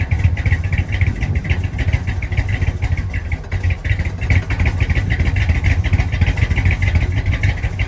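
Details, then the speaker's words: 1965 Chrysler 300 non-letter car, 383 V8, revived after sitting since 2005 in the California desert following transmission issues; carburetor mixture screws about 1.5 turns out, still needs timing. Low, lumpy idle with throttle blips, heard from the rear; runs and revs. "So clearly it needs some timing. Get this air fuel mixture ratio fixed up."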